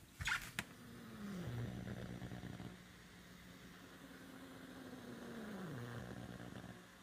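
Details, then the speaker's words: Low, uneven buzzing hum on the stereo speakers, swelling and sliding in pitch with each sweep as a Sofia tube tester on a variac at 128 V curves a dual triode on plate and screen supply in fast mode. Interference noise, cause unknown. "I'm also getting some interesting noises on my stereo system while it's curving, and I will be recording these to let you hear them."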